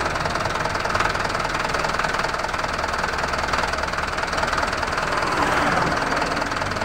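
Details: Diesel engine idling with a fairly regular tapping, about four per second, over a rough rumble: heavy knock or breather chuffing tied to blow-by gas. Cause suspected, not confirmed.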